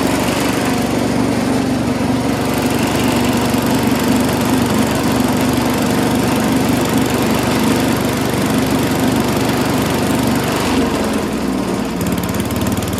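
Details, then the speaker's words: Mighty Mac wood chipper/leaf shredder, previously non-running, small engine first start after priming with gas, holds a steady buzzing drone on its own without surging or dying; runs normally, though flails had briefly jammed, possibly on a branch. "So it runs on its own now after you primed it a little bit with some gas, which is what I did."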